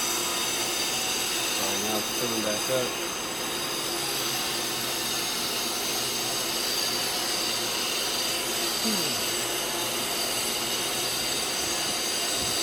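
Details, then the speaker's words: Pool filter pump restarted after the cartridges and lid were refitted, valve set to service: loud, steady rushing drone with faint clicking and water sounds, no surging or grinding; running normally. "you could either put it on auto on service the filter pump and you're gonna hear it like this about clicking water"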